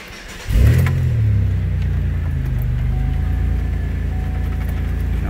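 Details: 2005 Chevy Impala, 3.4L, intermittent start/stall: engine catches and holds a steady low idle with a slightly uneven, lumpy beat, running but rough; wiggling the ignition switch affects it, failing ignition switch suspected.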